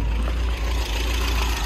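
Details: 1970 MGB GT with revised ignition, alternator and twin carburettors: fuel pump heard, then starts into a steady low, even idle with no knocks, ticks or stumbles.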